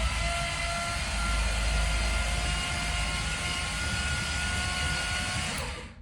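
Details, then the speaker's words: 1977 Dodge Ramcharger 440 big block, cranked on the key with 5 quarts of oil and the oil gauge not moving. A fast, even whirr on the starter with no knocks or clatter, then it stops: a clean crank. "Well, it's sounding better and better. No movement from the gauge, but they're not exactly fast either."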